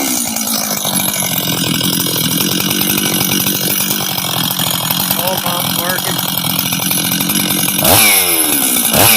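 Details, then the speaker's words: Rebuilt Husqvarna 385 chainsaw on its first start after assembly: loud crisp buzz that revs up and settles back cleanly, picking up sharply near the end; idles well and runs healthy. "work he right work sounds good idles good good"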